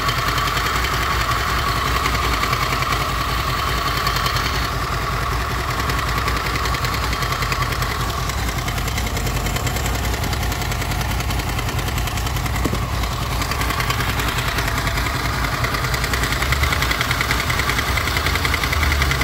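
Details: Honda VFR800 VTEC V4 motorcycle, 58,200 km, idling before timing chain replacement: fast uneven metallic rattle heard mainly from the right side, front cylinder, disappearing with a little more rpm.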